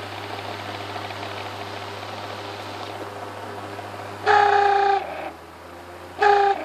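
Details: WeatherWorks fan, after years in a cabin window by a dirt road: low motor hum, then two loud, steady squealing tones under a second each; bearings worn out.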